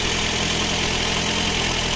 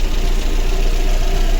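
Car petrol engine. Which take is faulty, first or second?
second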